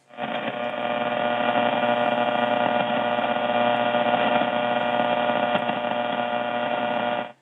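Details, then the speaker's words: Steady raspy buzz pulsing about four times a second, heard on an Icom 8600 receiver tuned to the 31 meter band through an MFJ-1026 noise canceller not yet switched on; owner suspects a failing power line or pole nearby, possibly a neighbor. "you can hear that raspiness i i think it's a power line pole i don't know it could be a neighbor"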